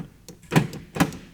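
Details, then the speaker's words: 1990 Ford Mustang GT convertible fox body, power door locks after replacing faulty switch (driver side barely worked before): three sharp solid clunks about half a second apart, each lock throwing crisply; working normally. "switch and now it works great it wouldn't do that before"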